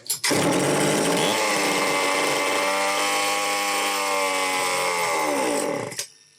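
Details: Homelite XL-903 chainsaw after carburetor work, stiff fuel hose possibly not letting filter sit in fuel: screams at high revs about five seconds, pitch wavering, then cuts out instead of idling; won't run on low speed circuit, lean fuel starvation.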